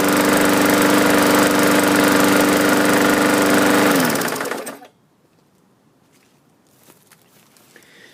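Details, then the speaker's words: Used walk-behind lawn mower dated February 2013 with a Pulsa Jet style carburetor, running: an even regular knock about three or four times a second, with more knocking as it shuts down. Cause unknown. Engine knocking. "could hear the knocking there and as I shut it down a little bit more knockage"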